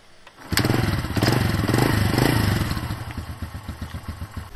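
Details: Modified Yamaha 125Z two-stroke: engine catches after a brief crank, revs with crackly burble, then settles to an even popping idle; running fine.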